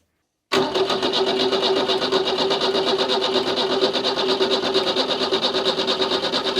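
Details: Renault 4 ex-French police car, hot-wired after the keys were lost, first start attempt with the fuel pump being checked: starter cranks at an even, steady rhythm for about six seconds with no drag or clatter; healthy cranking.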